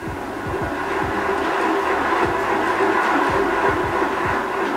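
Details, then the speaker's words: Boardman SLR Pro road bike with SRAM drivetrain, crank spun by hand during full rebuild: gritty rough rumble with repeated clicks, bottom bracket very noisy; worn dirty bottom bracket bearing needing replacement. "you can hear there how that bottom bracket is very, very noisy. So we do need to address that."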